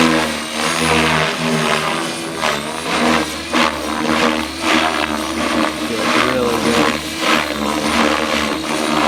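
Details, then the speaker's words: Blade Fusion 480 Stretch helicopter with Spektrum 6250HX during tuning flights: rotor whine dips and surges unevenly with softening, wavering pitch; flight battery running low, head speed sagging. "Sounds like our battery's getting low."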